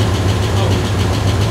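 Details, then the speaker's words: Ford Bronco prerunner just restarted on a new tunable engine computer replacing the failed one: deep idle with a slightly lumpy, pulsing rhythm as the computer relearns; uneven idle during ECU relearn. "Sounds like the new computer is figuring things out. Let it run for a little bit. It's like changing the way it runs completely."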